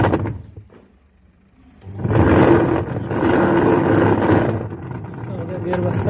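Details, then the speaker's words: Whirlpool washing machine: after a brief quiet it starts with a loud, rough roaring grind that continues as it runs. The cause was a cut, broken drive pulley, and replacing the pulley stopped the noise. "पहले इसकी पुली भी cut चुकी है"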